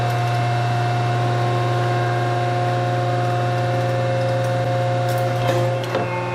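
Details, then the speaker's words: Old metal planer running: steady low hum with an even mechanical whir and no knocks or grinding; the old planer is running smoothly and normally. "well my baby's not broke baby's been doing fine in fact i'll show you a little clip all those little shaper guys"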